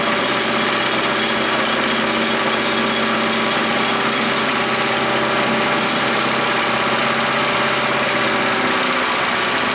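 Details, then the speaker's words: Earthquake chipper/shredder with Viper 212 Predator-type single-cylinder petrol engine, bought used and untested, runs at steady even speed with constant buzzy drone and no misses; sounds pretty good, normal running. "well it sounds like it runs pretty good"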